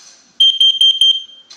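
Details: Tepoinn LCD carbon monoxide alarm giving bursts of four quick, shrill, high-pitched beeps while displayed CO readings climb to 999.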